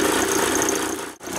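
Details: VW camper with a freshly swapped AHU TDI engine on its first test drive: harsh, clattering diesel idle with an uneven beat and a brief stumble, like a bag of hammers. Rough idle with misfires; electronic fault suspected, no VCDS codes found, injectors to be checked next.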